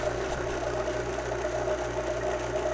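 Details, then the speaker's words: 12V UndermountAC air conditioner in a Ford Transit van: a steady, even vacuum-pump drone with a constant low hum and no surging. It runs after refrigerant recovery to pull about 28 in of vacuum and boil off moisture. Normal. "so that's the vacuum pump okay yeah so what it does when it sucks it down to a vacuum it actually will lower the boiling"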